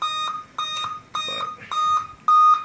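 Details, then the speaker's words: Dell Inspiron N5030 laptop that won't boot: on power-up, repeating mid-high beeps about every half second (7-beep code) with nothing on screen; POST beep code, cause suspected, not confirmed. "it has a problem when you plug it in and turn it on it beeps several times so there we go just beef like that and nothing comes up on the screen"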